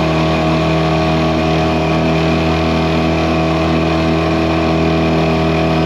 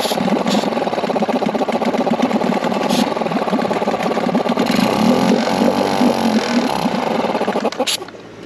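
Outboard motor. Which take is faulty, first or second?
second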